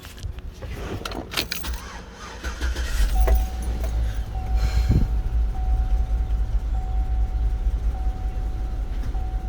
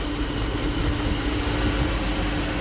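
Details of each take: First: 2008 GMC Yukon 5.3 V8 idling with uneven, lumpy rumble from random misfire; owner reports rattling, misfire codes for cylinders 4, 6 and 8, and the truck won't exceed about 20–30 km/h. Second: 2008 GMC Yukon 5.3 V8 idling smoothly after repair: steady, even low rumble and faint hum with no stumbles or knocks. It earlier had misfire codes and rough running, fixed after a burnt wire in the 20 A injector fuse circuit was found and the fuse replaced.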